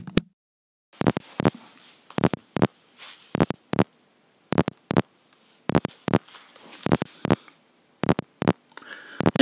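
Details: Rode VideoMic Pro connected to an iPhone 4 through an adapter: sharp crackling pops in bursts about once a second, like a broken record player; static from the mic connection, cause unknown.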